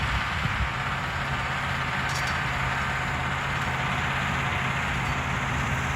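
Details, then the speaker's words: Massey Ferguson 1800 diesel pulling a 13-shank chisel plow in low range, overdrive, third gear: deep, steady drone that holds even under heavy draft with no knocks or misses, not being dragged down; engine running healthy. "friends that old girl's doing everything I could ask for it to do listen to that thing purr man I just love it"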